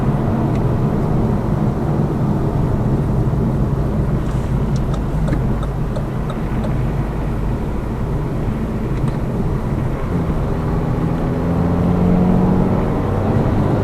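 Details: Lada Vesta Cross with AMT 2.0 robotised gearbox, full load, driving rough road, rail crossings and bridge joints, head-mounted camera; after replacing the front shock struts, stabilizer and engine mount the suspension knock is gone, steady drone with no clunks.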